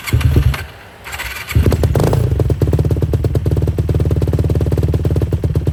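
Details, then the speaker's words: 2007 Yamaha YFZ450, carbureted, cold start after sitting a few months: brief crank after pumping the accelerator pump, then the single catches and settles into a steady even idle thump; starts and runs healthy. "So, it started up pretty good. Just had to It's cold, carbureted. Had to hit the accelerator pump a couple times, but it started up and ran good."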